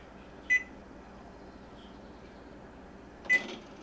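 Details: Frigidaire PHS68EJSB0 side-by-side refrigerator with a not-cooling complaint: two short, high beeps about three seconds apart as the unit is switched off at the control, normal acknowledgment; the damper motor then closes.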